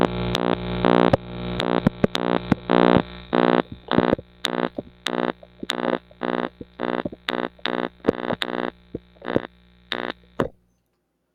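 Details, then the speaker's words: Homemade single vacuum-tube triode amplifier that mostly just buzzes: a harsh, reedy buzz that cuts in and out in clicking bursts and gets louder when the grid is touched to ground. "as you might have been able to hear there uh the buzzing noise got louder when I connected these two together grid to ground"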